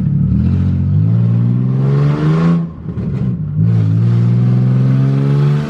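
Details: Budget Nissan 350Z drift car on its first drive, open headers with no test pipes: very loud raw engine note rising and falling with throttle, sharp crackly backfires off the revs.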